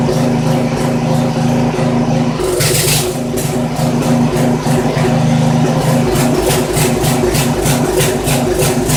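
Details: Poulan 900 rototiller, small Briggs & Stratton single-cylinder, running with air filter removed: uneven, hunting beat instead of a steady putter; rough running, owner concludes the carburetor needs cleaning.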